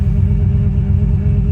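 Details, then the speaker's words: Vehicle after fixing code U0107 (lost communication with throttle actuator control module) by repairing a ground: steady, smooth idle at proper speed, check engine light gone; power steering pump to be replaced. "And you can see here it's idling where it should be."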